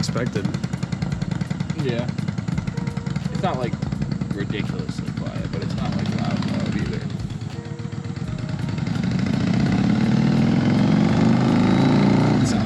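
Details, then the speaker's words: Yamaha Virago V-twin project bike, runs best at partial choke: uneven, lumpy beat around idle that stumbles and surges as throttle opens; sounds strained and rough, cause unclear. "like it's struggling. This thing's got so much potential."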